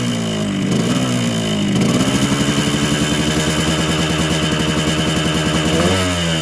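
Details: Yamaha RX King two-stroke: rough, gravelly revving from the block with ragged firing and an uneven rev climb, no power on climbs. Bad porting left the exhaust port too wide, so the block and head are replaced with new ones.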